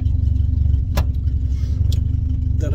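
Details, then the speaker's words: 1986 Ford Cortina P100 four-cylinder that had no spark: after setting the points gap and swapping in a coil from a Dodge, it starts and holds a steady, deep, even idle with no misses. Faulty coil was the cause. "I got it started change the coil throwing Airline around and it's running"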